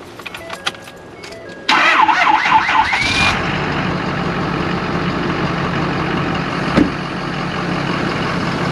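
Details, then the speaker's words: 2011–2018 Ford F250 6.7L Power Stroke diesel: engine catches after a short crank, then a loud steady hiss over the idle, a boost leak from the failed OEM cold-side charge (intercooler) pipe, which is to be replaced with an aftermarket pipe. "i don't know if you guys can hear that in the video but there's a loud hissing sound"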